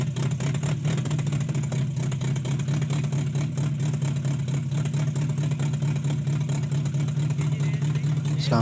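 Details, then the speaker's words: Toyota Corolla XLi/GLi converted diesel to petrol, long cranking to start, dies on acceleration: engine runs with uneven stumbling misfire, traced to cam/crank sensor wiring fault. "लेकिन यह कि जैसे ही गाड़ी को accelerate करते हैं तो गाड़ी बंद हो जाती है सालेसर उतरा हुआ है और स्ट्रोक भी आप देख सकते हैं मिस फायर कर रही है गाड़ी ठीक है जी"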